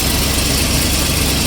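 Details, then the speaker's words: Turbo IROC at cold idle after exhaust leak repairs: light, fast ticking over the engine noise from a remaining header-joint exhaust leak. Much quieter than before and may quiet further when warm; owner says the flex pipe may need doing. "It's much better than it was before. It might quiet up once it gets warm. Yeah, a lot quieter."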